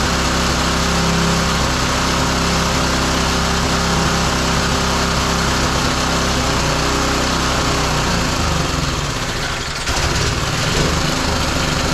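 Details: Roadside-salvaged small single-cylinder lawn mower engine for the Tommy Gun mini bike, after choke on then off; it runs unevenly at a buzzy, slightly irregular pulse near 214 a minute, dipping briefly and never settling smooth, before a spark plug change.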